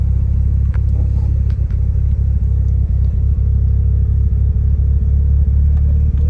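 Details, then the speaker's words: Mitsubishi Evo 8 MR after engine swap, driving: deep steady drone under load, no knocks or misses, boosting fine with blow-off valve audible; normal running after motor replacement. "all right boys so we driving her now she seems good it runs good it boosts fine you can hear the blow off"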